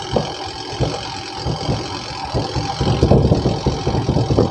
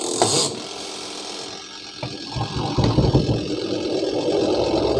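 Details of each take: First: Panasonic twin-tub washing machine, before repair: the spin-dryer drum turns slowly and unsteadily with a low rumble and rattling bursts, sometimes spinning up and sometimes not; weak spin motor capacitor. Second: Panasonic twin-tub washing machine spin-dryer after capacitor replacement, previously slow and rumbling: motor winds up from rumble to steady even hum at full speed, no knocking or scraping; normal spin, stops when lid opens.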